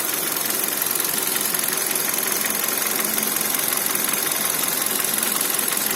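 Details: Kia Cerato 1.6 at idle: quick, sharp metallic tapping at an even pace over steady idle; engine knock of unclear source, owner unsure whether timing chain or pistons.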